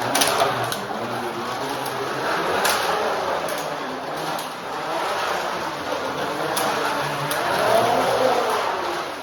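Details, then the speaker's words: Carrera 1/32 slot car after truing the wheel for polyurethane tire upgrades on the track: a light, even whirr that swells and fades as it laps, with no growl or rasp. Previously growly; now running smoothly. "So we'll see what it sounds like now. Way better. Way better."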